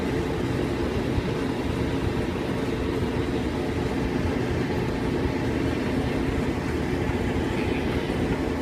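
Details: Whirlpool dryer running after repair of its no-heat fault by replacing the burnt wire at the thermal cut-off: steady even rumble and whoosh of the drum turning, no knocks, squeals or scraping; dryer running smoothly.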